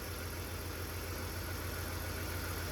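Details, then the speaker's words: 2003 BMW 325xi (E46) after replacing cylinder 1 fuel injector: quiet, even idle with a steady low hum, no stumbles or ticking once settled; normal idle. "Okay, now it's, yeah, now it's a bit calmed down. It's idling. Vacuum hoses are going crazy. Yeah, it's sounding better now."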